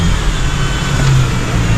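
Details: 2018 Range Rover Evoque being revved: deep, uneven engine note with a faint stumble in the beat. Misfire caused by an air leak at the PCV valve on the top cover; the valve is to be replaced.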